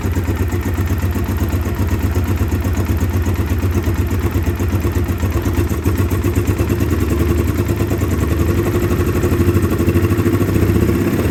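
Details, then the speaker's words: 2009 Polaris Sportsman 800, stock cam, injector cleaner in fuel, awaiting new plugs: loud uneven idle lopes about two beats a second, never smoothing; really lumpy idle, weak mid-range, but runs great mid-range to wide open. "so it's got a really lumpy idle um i didn't put a big cam in it or anything and mid-range kind of sucks"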